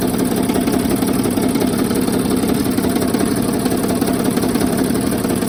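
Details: 2007 Sprinter OM642 diesel, used, poorly maintained replacement engine running with the accessory belt removed; loud idle with an uneven tapping knock, pronounced on the left side, cylinders 4 to 5; source still unknown; engine knocking at idle.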